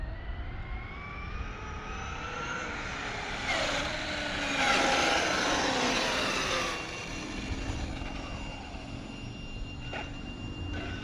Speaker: woo gears are sounding good